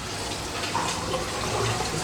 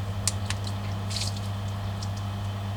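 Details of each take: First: Superfish Eco Plus RC 15000 pump on a fry tank at a high flow setting, being backed off to 5: rushing, gurgling water with no steady motor note. Excessive flow has drained the drum filter while pushing muck through the pipework. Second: New Superfish Eco Plus RC 15000 pump on a fry/quarantine tank, being stepped through power settings; steady low hum with faint clicks, no rattle or grinding, tone changing abruptly with a jolt between settings; running healthy.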